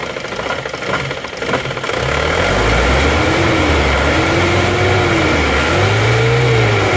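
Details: Isuzu Panther diesel with sluggish pull, dying after revving, no thermostat fitted: revved high, revs climb, sag and stumble then recover in waves; fuel starvation from a clogged diesel fuel filter.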